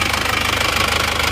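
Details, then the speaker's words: Isuzu Panther automatic diesel at idle, oil-soaked around the manifold: fast, steady chuffing from the crankcase as smoke spurts under pressure, heavy blow-by from a badly damaged cylinder liner. Planned fix: replacement liner and new original rings. "ternyata emang sudah parah ya ini ya ini kan kalau dilihat kan asapnya itu memang menyembur ya tidak sekedar uap biasa kalau boleh kan asap biasa tapi ini kan menyembur ini jadi ada tekanannya"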